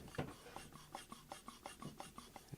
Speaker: it's so freaking loud like it's a great pedal you can hear it's like having a scratchy pot yes yeah I can hear a scratchy pot